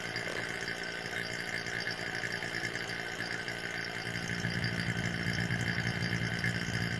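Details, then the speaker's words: Portable vacuum pump drawing down a vacuum bag for carbon fiber windshield part encapsulation, with catch can: steady even hum with a faint high whistle, note changing and firming as the bag folds down; pump running normally. "you can always turn the pump off and a little little air in so that you can adjust the bag you can hear the pump changes - it's starting to fold up"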